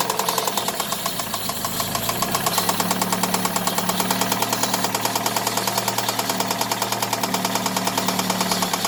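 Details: Daewoo Nexia 16-valve engine at idle; sharp metallic knocking about three per second, present both cold and hot; engine knock, cause unknown.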